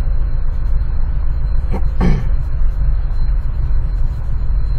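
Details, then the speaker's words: 2004 Chevrolet Trailblazer 4.2 six-cylinder idling with an uneven, lumpy beat and stumbles: misfire, cylinder 2 almost constant and cylinder 3 also, with no misfire codes stored. "el 2 falló. Sigue fallando el 2 y falló el 3. El 2 casi es constante."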